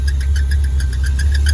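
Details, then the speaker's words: Dodge Dart, roadside after new ignition wiring: sharp chirps about seven a second over the low idle rumble from a squeaky fan belt. "squeaky fan belt but that's the least of our wishes right now"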